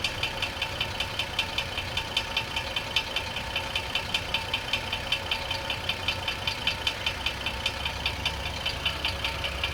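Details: 2004 GMC Envoy 4.2L petrol six at idle with the transmission removed: sharp, regular knock about 2.5 per second, suspected rod knock. Flexplates were swapped (original, used and new) with no change, the balancer was replaced, the belt was off and the oil pan was removed.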